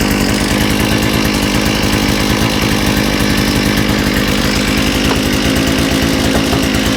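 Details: Small two-stroke with a new carburetor, after correcting reversed fuel pickups and removing a kinked fuel line, gives a loud, steady buzz at constant high speed with no stumbling or surging; normal running.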